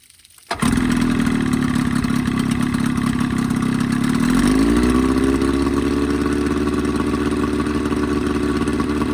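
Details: Evinrude 20 hp two-stroke outboard modified to 25 hp, after a full service and a fix for its coughing, spitting lean sneeze. Starts at once and settles into an even, steady drone that shifts smoothly to a new speed. Running normally.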